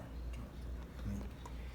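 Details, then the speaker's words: Washing machine transmission with new bearings installed, turned by hand after repair: low, even murmur with only a few faint ticks, no longer noisy; bearings rotating quietly and smoothly. "y ya no suena está perfecto"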